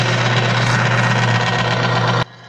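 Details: Bearing friction tester, an already grooved, worn race coated with the BG MOA oil additive, pushed to about 60: harsh, steady grinding roar over the motor hum, smoking but still turning, then it cuts off; the surface stays shiny.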